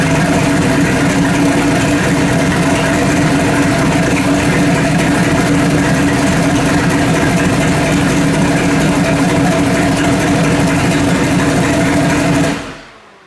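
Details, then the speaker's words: Freshly built 406 V8 in an S10 on first fire-up, timing at about 32, temperature at 150 degrees: a deep, steady, lumpy idle with no knocks until shut off. It runs a lot rich; the mixture and idle probably need redoing. "it's a little rich yeah it's a lot rich this can like i said yeah i'm probably gonna have to redo the whole thing i don't know the mixture and the idle and all that stuff"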